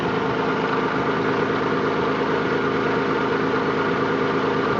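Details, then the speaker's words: Nissan 300ZX petrol V6 idling with an uneven, stumbling, intermittent misfire; ECU codes 33 and 53 (O2 sensors); owner plans to check coil packs, MAF sensor and timing. "hey what's up guys I'm trying to figure out why my 300ZX is misfiring if you listen closely you can hear it"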